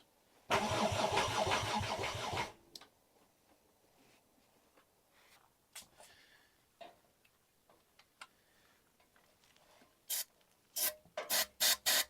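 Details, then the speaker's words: Mk2 VW GTI with 5-cylinder engine swap, first start attempt: starter spins briskly, three to four compressions a second, for two seconds and never catches; no fuel reaching the engine. "oh okay so we're not we're not getting fuel hey that's the issue"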